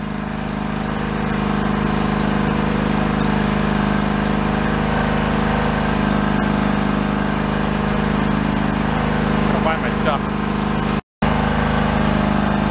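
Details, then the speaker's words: John Deere LX178 lawn tractor bought at a yard sale, mower deck engaged: a slow, labouring single-cylinder drone running well below proper speed. It needs more rpm, and a carburettor adjustment or float problem is suspected. "we're gonna run the mower deck and listen to the RPMs"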